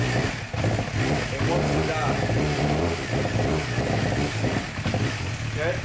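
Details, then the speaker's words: 2007 Suzuki GSX-R 600 that sat outside for months after losing power, air box removed: idle holds, but on throttle opening the revs stumble and nearly die. Blocking the intake hose doesn't help; plugs then fuel are suspected. "so my first thought was okay it's because the air box wasn't in so i actually held the hose with my thumb and nope still doing it"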